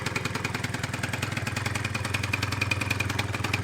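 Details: 2004 Kymco Super 9s 50cc liquid-cooled two-stroke scooter, revived after a year sitting (trouble traced to a wasp): quick, even putter at steady idle, about three and a half beats a second, no stumbles; healthy.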